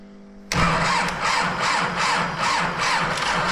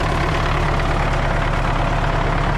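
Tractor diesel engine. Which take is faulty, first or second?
first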